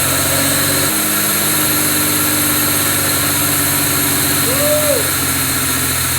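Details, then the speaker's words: Pontiac Fiero petrol engine after new fuel injectors and distributor: smooth even idle with no misfires, but idling a little high from a vacuum leak. "it's got a vacuum leak it's idling a little high but it's clean it's clean check it out"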